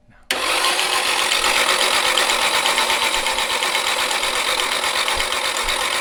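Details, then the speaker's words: Nissan 240SX S13 with SR20DET, long abandoned, cranked with the fuel pump disconnected so it does not fire: a fast, steady whirring crank with a dry metallic rattle over it. Unusual mechanical noise while cranking. "okay it's gonna take a while i hope not a little different mechanical noise"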